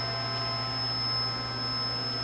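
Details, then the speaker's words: Eldorado M75-1041 deep hole gun drilling machine, 3/4 inch capacity, 30-inch stroke, with Mega F18 high-pressure coolant system, Aerotech drive and servo motor, simply powered up: steady low electrical hum with faint constant whine, no knocks or surges; normal idle. "We're presently on. We're powered up."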